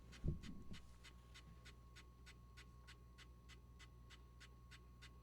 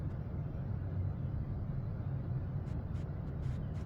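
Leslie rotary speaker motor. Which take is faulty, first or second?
first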